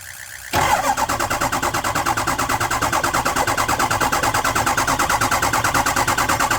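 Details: Ford 6.0 Powerstroke diesel with crank no start, gauges showed no high-pressure oil buildup: starter spins the engine fast and evenly for several seconds without firing; separate fuel leak also found; cause not confirmed.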